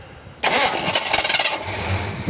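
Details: 1986 Ford Mustang GT 5.0 convertible, long-neglected: starter cranks busily for about a second but never catches into a steady idle, crank-no-start; fuel pump suspected bad, not confirmed.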